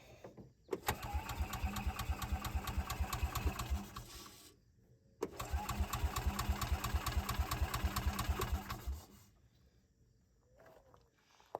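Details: Bobcat Pioneer (Club Car Carryall) UTV with old fuel and known wiring issues: two bursts of steady starter cranking, about two turns a second, no firing; fuel pump not heard running; no start.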